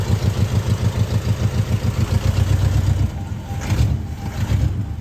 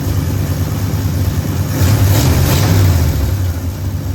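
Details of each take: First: 1973 Ford F100 at idle after new spark plugs and a timing adjustment; owner believes plug wires are needed. Uneven, lumpy idle sagging and surging with missing beats; misfire, cause suspected, not confirmed. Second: 1973 Ford F100 V8 after tune-up with new plugs, coil, points, condenser, rotor, cap, wiring, fuel filter and engine ground: even low rumble swelling smoothly as revs rise and settling again, no misses or knocks; running healthy.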